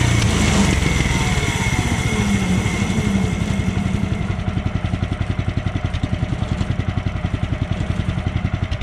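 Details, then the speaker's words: Sawmill engine roars, then settles into a fast, uneven ticking beat near four per second that fades as it slows; abnormal engine noise, cause unknown. "Guys, hear that sound? I don't think that's any good. I'm not sure what it is,"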